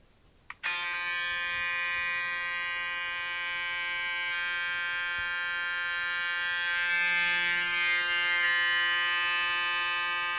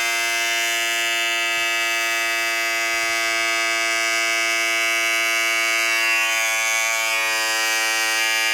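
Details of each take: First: Braun shaver side-by-side noise comparison, new 7 Series vs about five-year-old 5 Series, new one about a third as loud: clean, steady buzz with even pitch and no rattles; normal shaver running. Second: Braun 5 Series shaver, about five years old: loud, steady, shrill high-pitched motor buzz, compared with a newer 7 Series said to be about a third as loud; noisy operation, cause not evident.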